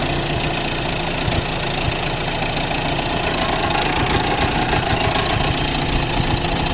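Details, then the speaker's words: 35 hp Mercury outboard after lower unit repair, idling uneven and lumpy with irregular knocking under a heavy drone; owner suspects a spark plug arcing and that idle needs raising, not confirmed. "yeah we need to bring the idle up we're definitely something going on"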